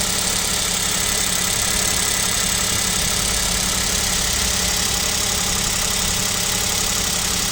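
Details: KIA Picanto 2, 1.0 G3LA, cold idle at about -7°C: rough, hurried ticking about three beats a second over hissy engine; owner suspects piston knock, source unconfirmed.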